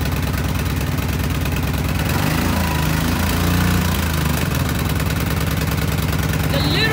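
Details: 2010 Kawasaki Brute Force 750 twin after the previously dead cylinder was made to fire: both cylinders fire in a steady, even beat at fast idle with no misses or stumbles; runs clean, now pulls with much more torque.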